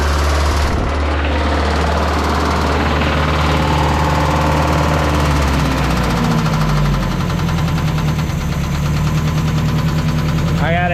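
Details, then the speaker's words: 1986 Mazda B2000 at idle after Marvel Mystery Oil and a new valve cover gasket; uneven idle with a loose, irregular slapping knock, then it revved very high and threw a rod through the block. "threw a rod right through through the block so um engine swap I guess wow it's kind of scary it like revved really high and then uh that happened"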